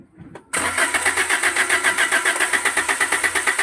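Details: Toyota Vios: starter cranks steadily at about four beats a second for several seconds without the engine catching; cranks but won't start, cause suspected but not confirmed.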